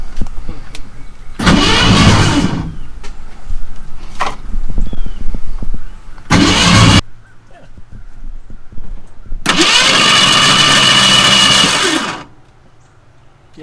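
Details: V8 Mercury Comet sitting 31 years: three separate bursts of steady starter cranking, engine never catches; cranks but no start, points and condenser to be checked next.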